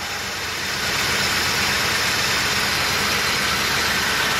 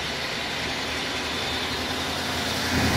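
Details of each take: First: 1986 Chevy K30 with Turbo 400 and stock exhaust, cold start: catches and settles into a fast even idle with a steady exhaust roar, no misses; healthy V8 warming up. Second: 1986 Chevy K30 truck at idle: loud, hissy steady wash over a weak low rumble from the front accessories; water pump and alternator already replaced (alternator was weak) but the weird noise remains, source unidentified.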